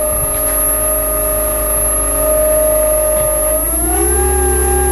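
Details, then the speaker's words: Newport NK180 kayak trolling motor run out of water without the prop at 28% to higher throttle: loud steady siren-like whine holding pitch, stepping up as speed changes; abnormal motor whine, under warranty claim. "For instance, it also allows us to hear it without the water sounds covering the noise and without resistance."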